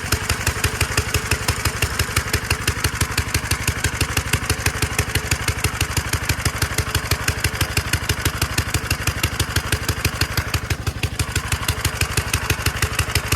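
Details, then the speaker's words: 1946 Gravely Model L single-cylinder, first run after about five years idle, started with ether in neutral at mid throttle; sharp steady chuff about three beats a second, even rhythm, normal running. "1946 L hasn't ran in five years sweet"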